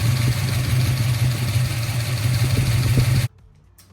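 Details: 1971 Ford Torino with rebuilt 351 Cleveland V8 and upgraded cam, after cooling fan upgrade: steady low idle burble with smooth even beat for about three seconds before shutoff; engine sounds healthy.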